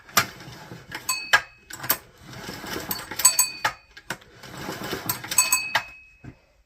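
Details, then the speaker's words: GX200/GX160 engine with an epoxied, laser-cut wooden connecting rod, no spark plug and the engine not bolted in, testing clearances. A full pull gives a few spins of light, even clatter with no heavy knock. It turns over freely. "First verification that it spins over with a full pull and doesn't do anything stupid. Sounds good."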